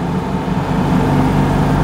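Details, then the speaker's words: Citroën 2CV, owned 24 years with about 130,000 miles, on a drive. Smooth, even, low burble from the twin under light throttle with no knocks or rattles; the engine is "a peach" and running nicely. "but yeah going really nicely this engine is a peach"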